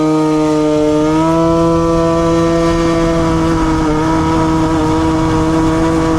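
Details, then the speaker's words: Piaggio Typhoon two-stroke scooter, warm, with the air mixture screw turned fully in. It holds a buzzy note that sags, stumbles, spits and nearly cuts out. Rich mixture stumble. "It's like struggling a little bit. Yeah, she's struggling like crazy right now, and I think that's actually like spitting a little bit, so like getting too much fuel."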